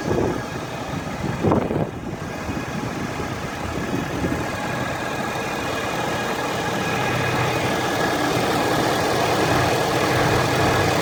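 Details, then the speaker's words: Ford F350 diesel truck fully warmed up at idle with a thin, steady high-pitched whine over the clatter, from the top of the engine near a black box on the driver's side or center; the dealer blames the transmission, the cause is still unknown. "This is the noise the truck's making, and I took it to the Ford dealer in Colorado Springs. They're trying to say it's the transmission, but the noise is coming from the top of the engine over here."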